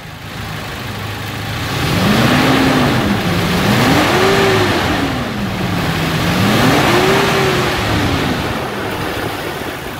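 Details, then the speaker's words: Toyota SW4 2.7 Flex petrol 4x2 after a post-purchase service with oil and filter change: smooth idle rising through two even rev sweeps and settling back, with no knocks, ticks or rattles; a normal, healthy engine. "essa torrada do motor gasolina de alta cilindrada é bonito que eu vim né isso é uma sinfonia para os meus ouvidos"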